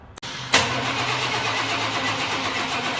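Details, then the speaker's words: 1997 Chevrolet 1500, 5.0 L V8, 2WD, which died while driving: steady starter cranking with a charger attached and brake cleaner sprayed in the intake, engine spins but never fires; fuel pump priming sounds wrong. "That sounds crazy. Yeah, that doesn't sound very good. It's almost like it's spraying gas back in."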